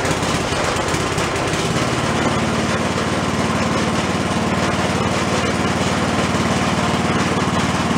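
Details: Free roadside snow blower after electric starter repair (starter previously smoked and tripped breaker; acorns in carb earlier), started with choke and throttle: small single-cylinder engine catches and settles into a steady, even putter; running fine.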